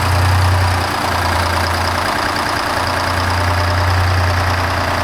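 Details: 1975 Peterbilt 359 with Detroit 12V71 two-stroke diesel, first start after sitting 30 years in a barn: loud, even, fast diesel chatter holding a steady idle with no misses or knocks; normal idle.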